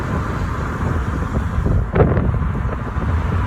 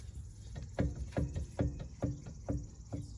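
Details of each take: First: Test drive in a neighborhood, listening for thumps or squeaks under braking after a brake rattle fix: road and wind rumble fade steadily as the car slows, with no clunk or squeal; quiet, healthy braking. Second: Acura with newly installed brake calipers: dull, low thumps about twice a second while driving, caused by a caliper that is still loose on its mount.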